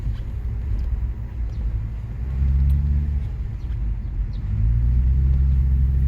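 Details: Lexus IS250 after repair of brake creaking that occurred even without pressing the brake: test drive gives steady low road and engine rumble with no creaking or squeaking from the brakes.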